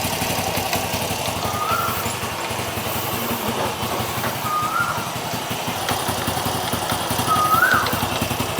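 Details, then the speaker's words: Honda Wave 100 idling after new C6HS spark plug and carburettor cleaning: light loose tok-tok knocking under the steady putter from worn three clutch damper rubbers. "ต๊อกๆๆๆๆๆบางท่านอาจจะได้ยินนะครับเสียงนี้คือเสียงลูกยางคัด3ก้อนมันดังแล้วนะครับ"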